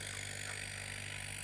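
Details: Homemade air compressor running after reconnecting a loose wire that had stopped it: steady even hum with fast regular pumping pulse and no knocks or rattles; normal running.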